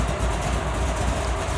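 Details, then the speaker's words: Chassis-swap 4x4 with hydraulic roller cam (293/311 duration, .580 lift, 107 LSA) and stock torque converter idling: deep uneven thumping lope about four chops a second; big cam mismatched with stock converter. "Yeah. That cam and a stock torque converter are not happy together right now, and I'll tell you what it does."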